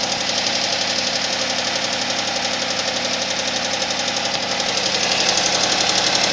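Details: Suzuki Vitara engine at cold idle with sharp, fast, regular bright metallic ticking roughly four per second; knock present on cold start.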